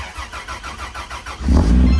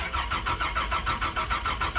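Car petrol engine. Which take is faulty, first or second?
second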